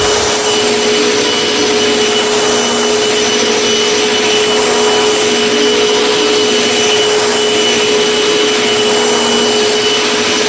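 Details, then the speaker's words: Very old Panasonic Performance Plus Platinum vacuum cleaner from Goodwill: constant high motor whine with clean steady tone and airflow rush, no rattles or speed dips; vacuum running normally. "It kind of sounds okay, but it works and it cleans up the floor and carpet."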